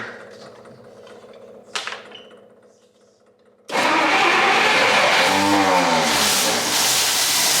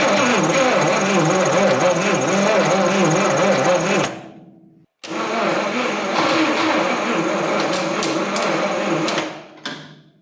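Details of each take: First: 1959 Studebaker Lark 259 V8 that sat 36 years, running after an ignition-system fight, with a drip and a belt that may not hold: after a pause it bursts into life and keeps running with a brief rise in speed; sounds healthy. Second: 1959 Studebaker Lark, 259 V8, 12-volt system, sat 36 years: two long cranking bursts with a sluggish chug about two beats a second and a thin squeak; it turns over slowly. Owner suspects a dry starter needing lubrication.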